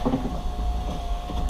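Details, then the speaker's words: 2004 Porsche Boxster 986 window regulator after repair, cables put back in their tracks so they no longer rub each other: smooth steady motor hum stopping cleanly, no grinding; normal power window operation. "better no more grinding noise so that's what it was"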